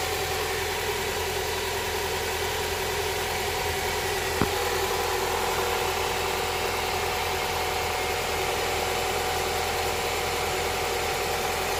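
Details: Honda Prelude SH after oil cooler/adapter gasket replacement, oil filter refitted, started to check for leaks: even, smooth idle with steady hum, no knocks, ticks or misses; no leak seen after about ten minutes.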